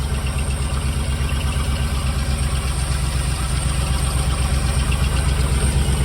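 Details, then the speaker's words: Jensen Healey V8 on first fire-up with new heads, still cold and burning oil off the heads and exhausts: steady lumpy idle with no ticking. A faint whirring underneath is suspected to be a rough water pump. "I can't hear any thinking. I can hear this water pump. Doesn't sound great."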